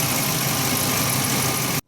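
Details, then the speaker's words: 2011 Ford E350 van after replacing the serpentine belt, idler pulley and tensioner: a steady, even idle with no chirp, squeal or rattle from the front belt drive, not the suspected cam phasers, then it cuts off. "So nice and quiet. I know my man Big Ben will be happy. His band is sounding great, and it's not the cam phasers. So you can see there, this came off idle. That sounds a lot more normal"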